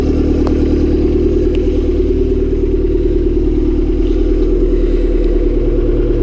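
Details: Honda Civic D16Y7 turbo, cold startup the day after spinning a bearing; rough idle with heavy regular clattering knock about two per second, no oil light on.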